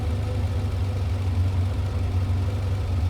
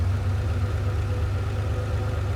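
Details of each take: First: Ferrari 512BBi flat-twelve during carburettor mixture adjustment: idle never quite settles, beat wandering, engine hunting; one side too lean, and covering the mixture screw hole raises revs 25–30 RPM and smooths it once corrected. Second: Ferrari 512BBi after carburetor mixture adjustment: deep even idle, low steady rumble, no misses; engine smooths once adjustment hole is covered.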